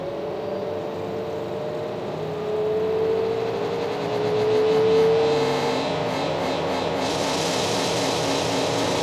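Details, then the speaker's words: LG F14U1 washing machine in service test mode, third press running motor at 100% spin: smooth motor whine rising in pitch as drum winds up to full speed, no grinding or thumping; normal full-speed spin. "when we press the third time this now is showing you 100% of the spin"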